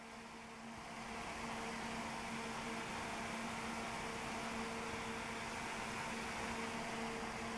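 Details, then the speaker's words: Thermaltake Thunderblade fan on bench test: steady hum with a clear mid-pitched tone and strong airy rush, much louder than the CPU fan. "but that is louder than the Spy fan by a long chalk"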